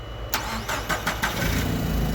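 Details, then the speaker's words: Nissan forklift, K21 LPG engine, regulator recently replaced, no fault codes: several cranking bursts, then catches with a rough, weak run, no throttle response, and slowly dies; stalling after start from a faulty mass airflow sensor. "right so no codes you see right now it's dying but even if i try to wrap it up just died start it again mess up right away no response nothing right then it just slowly dies"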